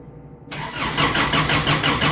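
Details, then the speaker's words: 1990 Isuzu Trooper 2.6 four-cylinder, 5-speed 4WD, converted from fuel injection to carburetor, being rewired: starter churns steadily at about four beats a second with no firing; cranks but no spark. Unplugging the blue coil wire later brought spark. "We're gonna put some oil in her and see if we can crank it and see if it's got spark. Alright. We got no spark."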